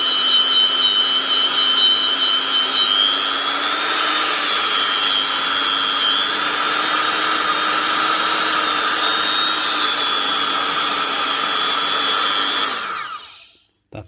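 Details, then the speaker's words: Old Makita 9501B angle grinder after new bearings and cleaned brushes: smooth, steady high whine at constant speed with no popping from the gearbox, no rumble or grinding, then a clean spin-down. Normal running. "I'll get it thrown around thrown off to the sides and then you hear it the speed going up. in the main thing is you don't hear any popping noises coming from inside the gearbox."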